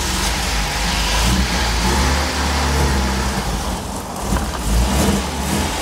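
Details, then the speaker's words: Old car started cold outdoors on a hot day, not warmed up before moving: catches and revs cleanly, climbing and falling without stumbling or knocking; owner says it runs pretty good but you have to let it warm up. "the old car actually runs pretty good but you got to let it warm up before you go take it off which I did not do"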